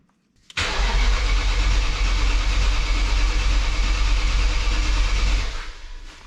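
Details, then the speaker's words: BMW E39 M5 Wagon dry-cranked without fuel after VANOS install and long battery disconnect, to prime oil passages with oil light on: even cranking pulses about three a second, sounds like good, even compression. "i have to say it sounds a lot better it sounds good sounds like it's got compression"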